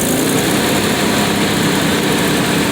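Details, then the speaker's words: 1993 Nissan Pathfinder 4x4, 205k miles, manual 5-speed, exhaust manifold leak, loss of power suspected from injector; steady even idle with no ticking, rattling or whirring from front; rules out timing chain tensioner bearing failure; normal idle. "And that sounds really clean to me, so it can't be a timing chain tensioner bearing failure."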